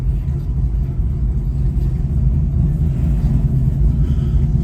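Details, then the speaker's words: ZL1 Camaro back from the dealership, cold start next day, checking for the earlier belt squeak: loud, even low rumble at fast cold idle with no chirp or squeal; belts quiet and healthy. "we'll see what it'll do. This car sounds really good. So I don't hear anything."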